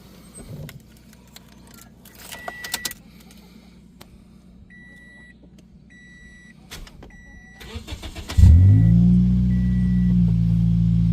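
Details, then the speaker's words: 2010 Toyota Yaris 1.5 L four-cylinder at start-up after removing the internally rattling muffler: quiet clicks, then a loud, deep, raspy idle with no muffling; straight-pipe exhaust note, muffler rattle gone. "Sounds a lot better. It actually has some sound to it. It doesn't sound bad. No rattle with being the exhaust was rattling."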